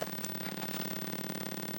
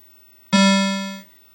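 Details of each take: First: Mortal Kombat 2 arcade sound board under test: only steady static hiss with low hum, no test tone, touching amplifier gives nothing; main audio amplifier believed dead. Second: Mortal Kombat 2 arcade sound board after cleaning, reseating, a cap kit and a new amplifier: a single clean low tone rings under a second and fades smoothly with no buzz or distortion; normal sound output.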